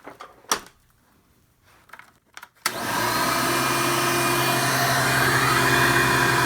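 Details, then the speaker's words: Hoover Elite vacuum cleaner after motor replacement: a few clicks, then the motor spins up to a steady, even whine with no rattle or grinding; sounds good and suction much improved, normal running. "Sounds good, and the light works. That's cool."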